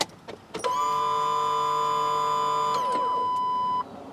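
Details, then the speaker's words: Chevrolet Blazer, key on with fuel pump suspected faulty: steady electric buzz for about three seconds then dies away. "I'm gonna wait and turn the key and see if that pump makes a buzzing noise. It should for a few seconds."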